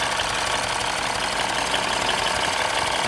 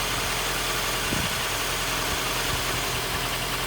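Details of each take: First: 2015 Mini Cooper S rebuild after reconnecting the loose induction hose: busy, fairly even idle with fast light ticking and no stumble or hunting; running better. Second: 2015 Mini Cooper S Copart rebuild, first proper startup, no leaks: an uneven, hunting idle swings from about 1,000 to 750–800 rpm. The unstable idle came from a vacuum leak, with something left unplugged and the induction hose not connected.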